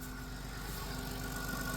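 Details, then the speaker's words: 2000 Chrysler Grand Voyager SE, 114,000 miles, parked 8 years, first start: it fires right up into a smooth, quiet, even low idle with no top-end ticking. It is quiet partly because the seized alternator isn't spinning. "And it fires right up. And it's so quiet. It's so quiet because nothing's spinning. It just fired right up."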